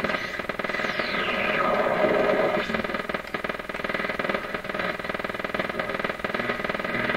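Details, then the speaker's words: PYE 39HC shortwave broadcast receiver on AM broadcast band, tone control being checked, antenna in wrong place; low regular putt-putt pulsing about four times a second under hiss and whistle, suspected motorboating. "so that that sound could be motor boating in the radio and that that really does sound like motor boating to me"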